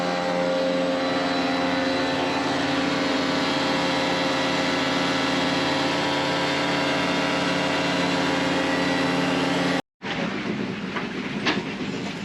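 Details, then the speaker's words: DIY boat watermaker using a 105 bar pressure-washer pump and three membranes at 800 psi, making about 100 litres an hour; very loud constant drone with steady tones from pump and generator, even throughout; normal operation. "It makes about 100 litres an hour, but it's very loud."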